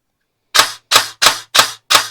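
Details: Airsoft gearbox after fitting a Solink LITE budget brushless motor, motor height readjusted after sounding too tight, fired in semi: five crisp, even cycles about a third of a second apart with no dragging or whine; motor height now right, gearbox cycles cleanly.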